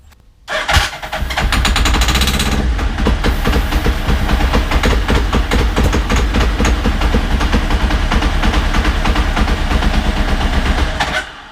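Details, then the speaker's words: Suzuki Hayabusa, 11,411 miles, no fuel tank, run on starting fluid sprayed through the air filter: starter whirs briefly, then engine catches and runs somewhat unevenly for about nine seconds; engine sound. "there's no gas tank obviously so I'm just going to use the starting fluid so it'll just run for the time that the fluids being shot in there which I'm not going to do too much"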